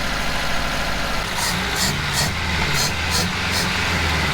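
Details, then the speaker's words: 1986 Toyota Corolla AE86 with 269,000 miles, revived after sitting, oil-burning: engine holds a steady raised idle with no drop-off or hunting; idle too high, owner suspects a vacuum leak at the carburetor gasket or a seized high idle solenoid. "There's still a vacuum leak right here somewhere, but I don't see any more lines, so I'm thinking it might be the carburetor gasket. Damn, it's still idling fast."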